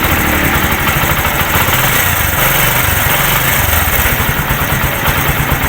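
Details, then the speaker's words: Kawasaki CT Bajaj 125 single-cylinder idling after second tune-up: steady, even putter with busy exhaust note and no ticking (lagitik gone); runs healthy, earlier stalling blamed on being cold. "Bago nito. Wala na lagitik."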